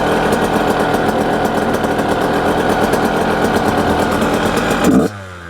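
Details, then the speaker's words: Brand-new 2026 Yamaha YZ85 two-stroke on 32:1 premix, fouling plugs, spooge from the silencer, running super rich: sputters thick and blubbery off idle, then sags instead of picking up; a rich bog from rich jetting. "Hear that That is what I call a bog, but But when people hear bog, they typically think oh, it's running too lean, a lean bog. But in this case, there's a subtle difference in sound. Rich bog versus lean bog."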